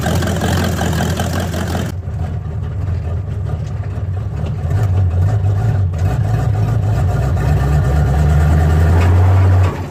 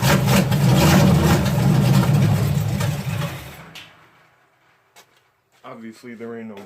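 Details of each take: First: Old El Camino V8 fired up in cold weather around 35–38°F: deep, steady low rumble at an even idle of about four beats a second with no knocks or misses; normal idle. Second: Malibu stock car V8, first start on fuel poured into the carburetor bowl: loud rough roar for about three seconds, then it fades and stalls; owner suspects bowl overfilled (percolating) and timing possibly a little hot.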